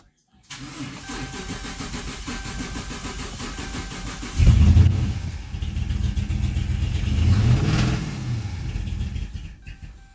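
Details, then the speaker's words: 2014 Dodge Charger 5.7L with previous engine work, barely runs: lumpy, stumbling idle that only keeps going with throttle held and surges as revs rise and fall; misfire from a dead cylinder with no compression. "pretty much gotta hold it open to keep it running"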